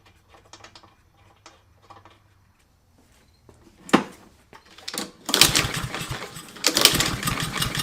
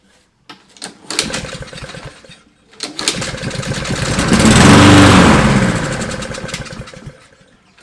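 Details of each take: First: Fire-damaged Husqvarna LC 221RH mower, Honda GCV 160 engine, with an empty fuel system and fuel squirted into the cylinder: quiet cranking clicks, then a few ragged bursts as it catches briefly and dies. The engine fires on primer fuel. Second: Fire-damaged Husqvarna LC 221RH mower with a Honda GCV 160 engine: two pull-cord cranks, then it catches, runs a few seconds and dies. Fuel is in the line but not reaching the carburetor; fuel starvation.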